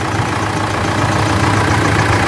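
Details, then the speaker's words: Mitsubishi L200 Triton 3.2 diesel, first start after timing chain kit replacement: even diesel idle with no chain rattle or slapping; chain noise gone, only slight noise from old belts. "Acabou barulho E aí virou galera zero barulho da corrente"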